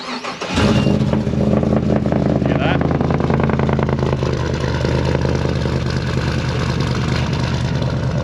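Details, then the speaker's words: LS-swapped (L98) 80 Series Land Cruiser V8 cranks and settles into a loud lumpy idle with faint crackle and popping; exhaust developed crackle after packing bedded in, extra rear muffler to be fitted. "it seems to have developed a bit like of a crackle um like really i don't know it just doesn't sound very good so putting that extra muffler in while it's here"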